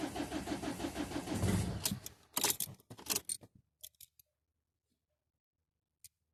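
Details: Ford Mondeo Mk4 1.8 TDCi diesel, hard cold start: about two seconds of steady cranking pulses, then clunks and silence without catching.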